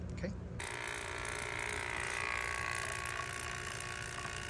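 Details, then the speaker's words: Robinair SPX CoolTech 15600 6 CFM two-stage vacuum pump, bought used and restored; pumping vacuum with no leak: steady, even, quiet mechanical chatter at constant pitch, no hiss. Normal running. "this is kind of a typical operating noise when it's pumping the vacuum and there's no leak"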